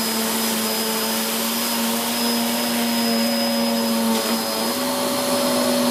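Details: Hoover Whirlwind Pet WHS2102 001, a 2100W bagless upright bought in 2013 with a refitted belt, on carpet: a steady high motor whine with a loud, unbroken brush roll, noisy from the aggressive brush raising the pile; normal running.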